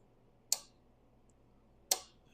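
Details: Jr. Pac-Man arcade coin mechanism after a decade-stuck piece was lubricated with 3-in-1 oil: two crisp, sharp clicks about 1.4 seconds apart in a quiet room, no dragging or sticking; the coin mech now snaps freely.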